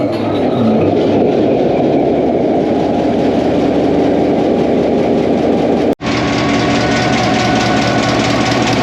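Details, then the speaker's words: 1949 EMD F7A diesel locomotive started after 3 years out of service with a bad main generator bearing, now repaired, valve cover open: deep steady idle with an even beat and no knocks or misses; started right up, running well. "oh she's running really well started right up everything seems to test out"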